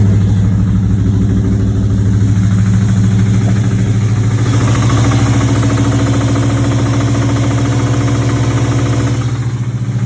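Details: 1986 Chevrolet Monte Carlo SS, 355 small-block V8, day 2 of driving with a bottom-end knock: steady idle with a deep, regular knock about three per second. Oil pressure good but lower than normal. Rod knock.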